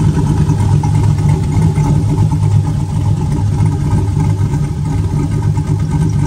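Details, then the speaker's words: Lumpy, even idle from a turbo 4.8 V8 with a Trick Flow 216/220 cam; a soft rhythmic chop from the exhaust and no knocks or misses. Owner also mentions a belt chirp to track down. "it's got a little bit of an exhaust notes to it but it ain't very you can you can only hear that little baby chop out of the pipe no there's nothing super noticeable"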